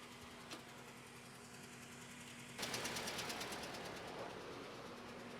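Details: 2010 Scion xD 1.8 petrol idling, running poorly after Amazon-bought parts failed to fix it: uneven loping, chuffing idle pulse about three times a second, misfire from low cylinder compression.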